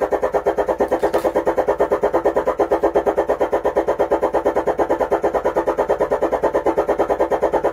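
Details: Stranger UB 75T 75-watt 12-volt amplifier on the bench while biasing voltage and preset are adjusted, mic volume raised: steady crackly pulsing buzz with no clean sound; the output is distorted.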